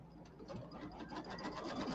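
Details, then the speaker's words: Embroidery machine stitching in a quick, even patter after switching to a tighter bobbin case for pre-wound bobbins: only a faint normal bobbin tick, earlier clicking gone. "And no clicking. Did you notice the clicking's gone? I hear just hear the bobbin in there but that's normal."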